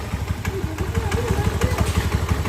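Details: Honda Beat scooter single-cylinder engine, after engine rebuild and oil filter cleaning (previously stalled with heavy idle), idles steadily with evenly spaced low thuds, no knocks or ticks; sounds healthy.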